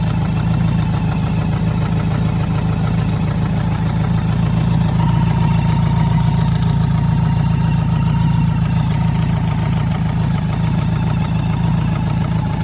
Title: BMW K100RS engine knock